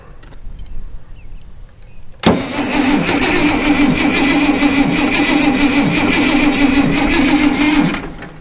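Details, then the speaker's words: International Harvester 1086 diesel, fire-damaged and sitting for years, supposedly rebuilt injection pump, injector lines bled so fuel reaches them, no compression test: steady sluggish cranking for about five seconds without catching. Battery seems weak even jumped from an Excursion. "I don't know if we're gonna have enough battery. I got the jumper cables onto my Excursion, but it doesn't seem like it's helping much."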